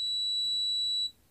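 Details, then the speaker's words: Capacitor (220 µF, 400 V) tested disconnected from the circuit with a multimeter: one high steady beep for about a second, then silence as it charges; the capacitor tests good. "इस संधारित्र को इस तरह से चार्ज और डिस्चार्ज किया जाना चाहिए, यह संधारित्र अब ठोस है,"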